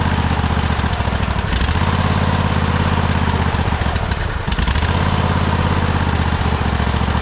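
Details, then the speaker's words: Free Cub Cadet Super LT 1550 Kohler-engined tractor, long unused, at recovery: chugs unevenly, sagging and nearly stalling, kept running only by spraying carb cleaner/ether; fuel system not delivering fuel. "This is crazy. We're just We're just feeding it ether."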